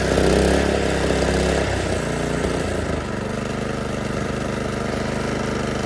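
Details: Predator 212 single-cylinder engine on a Toro 38585 snowblower, test run before removal, choke on start, throttle at middle. Fires on one pull and settles into a smooth, even putter with no misses or knocks; runs healthy.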